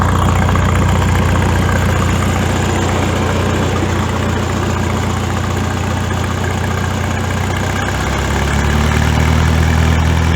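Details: Farmall tractor after exhaust modification, gap welded; deep, even throb at about four beats a second, steady pitch, no knocks or misses, deep blow sound back as before the exhaust was cut; normal idle.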